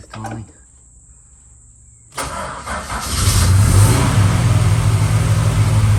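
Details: Holden VH Charger, first start after starter repair: after a cranking stumble it settles into a lumpy, uneven low rumble with coughs back through the carb. Owner suspects timing and carb issues; unconfirmed.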